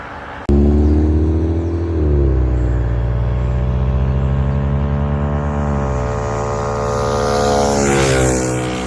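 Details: Honda Trail 125 (CT125) rebuilt with a 164cc big bore piston and cylinder and a bigger fuel injector, first start and warm-up idle before break-in: starts instantly, even single-cylinder idle with light blips; smooth and normal.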